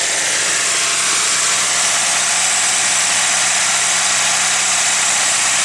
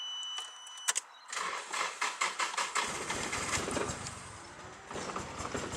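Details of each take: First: Nissan 180SX ex-drift car, warmed up: steady even idle, faint low hum under loud hiss, no misfire stumble after coil pack checks showed no difference; earlier rough running likely just needed warming up. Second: Nissan 180SX (Silvia S-chassis) ex-drift car, long-stored: starter churns about seven quick compression beats before catching and running ragged like a lawnmower; owner suspects the fuel (reportedly 2-stroke mix) or a coil pack, sounded like running on three cylinders.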